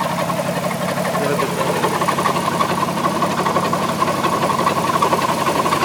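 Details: Alfa Romeo 156 engine idling with an irregular ticking clatter, roughly three per second, over a raspy mid-pitched hum; abnormal engine noise, cause not clear.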